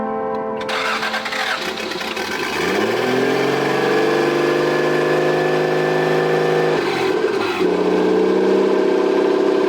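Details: Toyota 7M-GTE straight-six in an MA70 build after a four-month rebuild, no exhaust, intercooler bypassed, no idle air control valve; turbo smoking afterwards. Engine catches after a brief stumble and settles into a steady, even run with a loud open-exhaust note; normal running.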